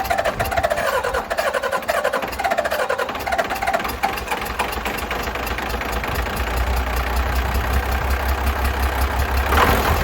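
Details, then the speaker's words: 12-valve 6BT Cummins diesel after piston replacement and a thinner head gasket, number six injector now getting fuel: smoky but settles into an even diesel clatter with no misses; running well. "she's Smokey but she's running number six has gotten fuel guess I won't be needing this thing oh yeah smoo right out [ __ ] yeah she's running good it sounds good man"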